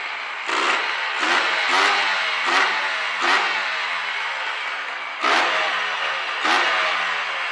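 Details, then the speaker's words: Honda NSR 125 two-stroke, choke on, after fitting the missing exhaust gasket: crisp blips rising from idle and dropping back cleanly, quieter with less smoke, no chuffing exhaust leak; normal running. "even with the choke on these things smokes much less than with that without that gasket also it's much quieter as you can see"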